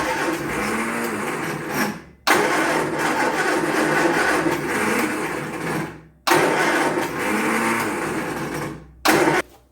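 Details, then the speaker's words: Triumph Spitfire that hasn't run in years, cranked with fuel pump outlet line into a bottle: repeated starter cranking bursts, steady churning, no firing; no fuel comes out, fuel pump not working. "And we do not have no fuel. All right. So, the fuel pump is not working."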